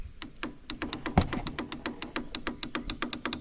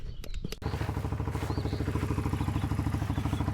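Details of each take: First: 1996 Kawasaki Bayou 300 4x4 ATV, parked for a year, battery still charged: rapid, even light clicking about five per second with no cranking; the failing starter solenoid is chattering without making contact. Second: 1996 Kawasaki Bayou 300 4x4 after replacing the faulty starter solenoid with an OEM Kawasaki part: a few quick starter clicks, then the engine catches and settles into an even, steady thump with no misses; normal start and idle.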